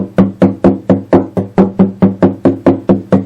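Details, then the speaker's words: Epiphone FT130 acoustic guitar, about 40 years old, dust just blown out. Crisp, even knocks on the lower bout, about twice a second, die cleanly with no rattle or buzz: bracing tight, no loose braces. "Usually when you get down here in this lower bout, that really vibrates that wood all through the body."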